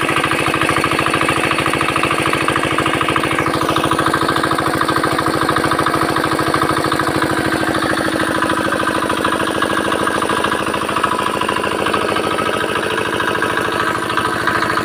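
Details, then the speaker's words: Very old 4 hp China diesel R170A single-cylinder after full rebuild and fuel pump setting, air cleaner fitted: crisp, even thump around 200 beats a minute, steady, no misses or knocks; runs healthy. "তো এবারে বন্ধু ইঞ্জিনটা start করবো। Sound একবার শুনুন যে অল্প খর্চার মধ্যে ইঞ্জিনটার কত সুন্দর সাউন্ড চলে আসছে।"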